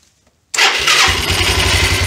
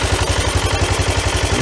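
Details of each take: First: 1993 Yamaha Riva 125 scooter, first start after fitting a cheap GY6-type replacement carburetor, with the fuel supply line suspected blocked at a vacuum-operated fuel valve. The engine catches, revs briefly, runs about two seconds on residual gas, then dies from fuel starvation. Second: 1993 Yamaha Riva 125 scooter with a cheap GY6-type replacement carburetor, running after fuel flow was restored. A steady, even putter of about ten beats a second with no misses gives a clean, stable idle.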